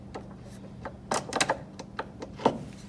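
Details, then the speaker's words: MVWC465HW2 top-load washer, pulley turned by hand with drive disassembled: irregular dry clicks and snaps as worn splutch teeth slip and ratchet against each other, stopping when pushed hard; cause of the shrieking noise, fixed with a splutch drive kit. "sounds like they're rubbing against each other or yeah which if I push hard enough it doesn't do it if I loosen it it just slides on those"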